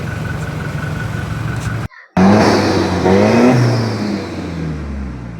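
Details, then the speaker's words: Toyota Fortuner diesel that cranked but would not start, towed to the shop; the high pressure pump was replaced. The revs blip up smoothly, pitch rising and falling cleanly with no knock or hesitation, running healthy after the repair. "Pagkatapos ayan umandar na. So okay na. Umandar na yung engine so gan lang pala kadali magtrble shoot ng Toyota Fortuner."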